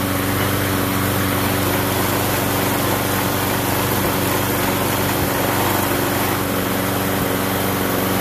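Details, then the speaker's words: Small single-cylinder lawnmower engine after cleaning its ethanol-gummed carburettor, old breather still fitted: steady, even running with a constant buzz, no surging or stumbling. Normal running after repair. "I'm like everybody else everybody we all want it now so we got mower running again"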